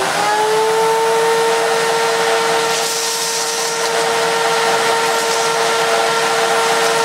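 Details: Miele S2111 vacuum cleaner, previously dead from a broken solder joint: steady high motor whine with even airflow hiss, no surging or rattles; running smoothly and healthy.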